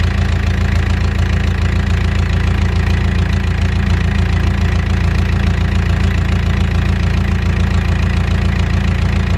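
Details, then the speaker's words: Mustang skid steer diesel after one injector cleaned and reinstalled: heavy lumpy idle with uneven knock about two per second, still rough; next injector pulled found with very dirty tip. "so it's still kind of run not that great"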